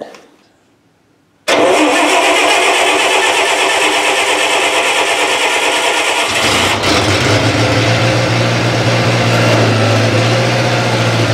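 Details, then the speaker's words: 1970s Bobcat 610 skid steer cold start at about 20°F, just fueled, leaking oil: several seconds of rough, labouring cranking before it catches into a low idle; hard cold start. "it'd be an old start, very cold start. It's like 20 degrees Fahrenheit today."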